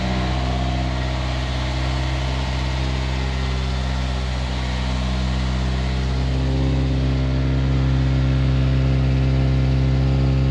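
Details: Toyota KE70 Corolla running again after many setbacks and no-start: firm, even idle with a steady beat lifting slightly in revs near the end; no knocks or misfires, runs fine.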